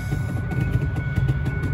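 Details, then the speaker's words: 2002 Ford F-150 with key out: steady thin tone and repeating ding keep sounding after pulling washer run, run/park and wiper washer pump relays, radio also stays on; warning chime stuck on, not backfeeding through relays. "and now i'm gonna pull the uh [Music] wiper motor washer pump washer pump relay [Music] and i still have ding ding ding ding"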